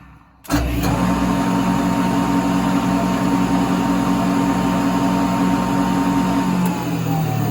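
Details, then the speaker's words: JET shaper with no cutters fitted: motor spins up quickly and holds a steady, even hum with no knocking or grinding; normal spindle run, bearings seem fine, and the vibration with stacked cutters is suspected to come from the tapers. "I thought that sounds like normal operation."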